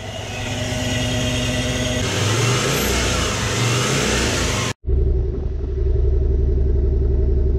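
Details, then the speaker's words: Toyota 1UZ-FE V8 swapped into a Toyota Surf/4Runner, started after rewiring on a rough base map, once a fuel pump fault was fixed. It pulls cleanly through a couple of revs, cuts briefly, then settles to a smooth steady idle without misfire: normal start, idle and revving. "yeah he runs that's on a total base map I just threw some reasonable numbers on it starts it idles it revs that's pretty pretty"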